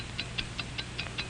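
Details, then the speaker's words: Hamilton mechanical watch (1949 training film): crisp, even ticks, five per second, steady and accurate over a quiet room; normal watch ticking. "What do you hear? It's the ticking of a fine watch. Wherever you go, whatever you do, America's fine watch ticks steadily, accurately on. 5 ticks every second."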